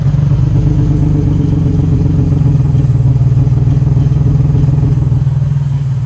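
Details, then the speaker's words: Nissan 350z warming up to temperature at idle: deep note surging and dipping instead of holding steady, rough uneven running; owner suspects a misfire or failed coil pack leaving it on five of six cylinders, not confirmed. "it's not like a smooth consistent tone it's like whoa oh as if it was canned that kind of makes me think there's something going on like i said either a misfire or a coil packs down so it's running on five cylinders instead of six"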